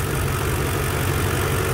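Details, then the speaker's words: BMW E46 with swapped M62 V8, cold, at idle after fixing an earlier left-bank knock and rattle: steady smooth idle with light fuel injector clicking, no knock or rattle remaining; normal idle. "the rattling noise is gone um what you can hear now the fuel injectors clicking away the actual knocking sound that was coming from the left bank is gone so i'm happy about"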